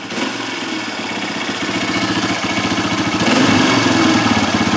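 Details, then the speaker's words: 2003 Honda CRF230F single-cylinder four-stroke, warmed up, thumping at idle; after a quick throttle blip the revs hang for a couple of seconds before settling: hanging idle from a lean condition, suspected dirty pilot jet or lean factory jetting. "We give it a quick flip and it takes a couple seconds to settle back down. That's a hanging idle which is caused by a lean condition."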